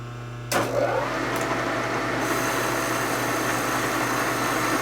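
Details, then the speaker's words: Boring machine cutting a 1946 Harley Knucklehead 84ci stroker cylinder, light slow cuts to restore centerline: steady even cutting hiss over constant low hum, slight machine vibration, no chatter; cut running even. "you hear it cutting even hear a little bit of vibration machine so the head got some clear in it it's cutting even if you hear it okay"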